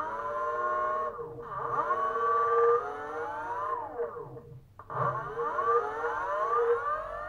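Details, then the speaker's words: BLDC 6384 140kv motor on e-bike controller with hall sensors added: clean whine climbing and falling smoothly, earlier roughness gone; smooth startup and normal run drawing about 1.26 amps. "it as you can see now we don't have that roughness anymore see nice and smooth even the startup"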